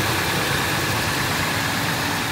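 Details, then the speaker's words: Ford 5.4L 2-valve Triton V8 first started after a complete timing job: smooth, even idle with a faint steady power steering pump whine, no ticking or rattle, sounds right. "Sounds good. Just a little noise from the power steering."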